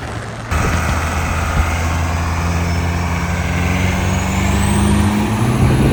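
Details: 1984 Chevy K5 Blazer CUCV with Cummins 4BT diesel, compound turbos, first test drive under load: low drone builds smoothly with faint rising turbo whistle, turbos spool at decent rpm, less smoke; clean and even.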